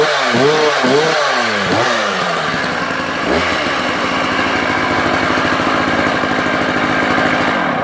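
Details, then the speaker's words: Sachs Dolmar 133 vintage 85cc German two-stroke chainsaw, never cut with, good compression: revs then busy idle with deep rough rumble underneath, nowhere near as smooth as before; owner believes main bearings, not confirmed by teardown. "okay guys so I don't know how clear that comes out on the camera but she definitely has a low down Rumble and it's undoubtedly main bearings don't think it speaker but there you go so the engine now has a rumble sound is definitely nowhere near as smooth as it has been"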